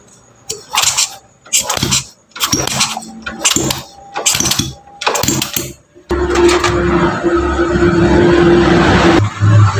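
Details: Honda Grand motorcycle brought in for a rough internal engine noise, after valve adjustment, manifold refit and fresh oil: after some loose clatter it fires and settles into an even, steady run with no knocking. Sounds different now, normal.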